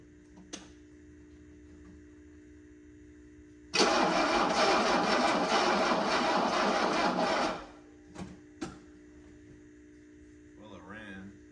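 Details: 1984 Mercedes-Benz 300SD diesel being revived after bleeding fuel to the injectors, with glow plugs possibly working, some compression and the battery on charge. It catches and runs rough about four seconds, then dies suddenly. Starts but won't keep running.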